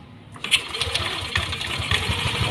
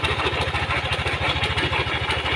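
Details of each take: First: First-generation Yamaha Aerox 155, complaint of a knocking rattle at startup, after engine reassembly with oil and radiator refilled: the engine settles into a smooth, even idle with a soft beat and the ticking gone; fault traced to the top end; normal idle. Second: First-generation Yamaha Aerox 155 scooter, owner complains of a clattering noise when started: quick steady idle with a rough, dry clatter ticking along over every beat; camshaft bearing rattle.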